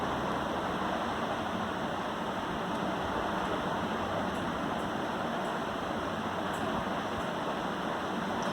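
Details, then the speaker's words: Desktop PC with Core i5 7th gen, 16 GB RAM and Windows 7 that keeps hanging, at startup: steady, loud airy rush from inside the case with no beat or pitch change, noisier than normal; source not yet identified. "इसके अंदर से एक आवाज़ आ रही है। काफ़ी ज़्यादा sound कर रहा है, नॉइज़ी है ये।"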